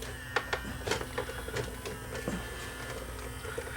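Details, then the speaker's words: Yamaha CDC-645 5-disc CD changer that plays but won't open, belt suspected: irregular light clicks and brief motor whirs from the mechanism but the drawer never opens; disc drawer fails to open. "anyway this thing seems to be working except it does not uh open the drawer so if i stop it here or stop button don't want to play that too long and it's not opening so"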